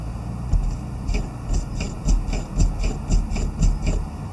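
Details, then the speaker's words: Fox Float CTD Evolution rear shock, switched from lockout to regular/full, hand-pumped on the bench. Each push makes a hissing swoosh, about two a second, instead of a damped stroke. Air is in the damper oil, and the owner suspects lockout control was lost. "it's a lot of swoosh no movement in that plug though so again i think i lost control of lockout"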